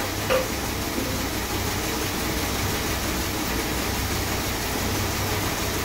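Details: Rebuilt 440 big block V8 in a 1966 Chrysler New Yorker, first start just after install: smooth, steady low rumble with no knocks, misses or surges; normal idle.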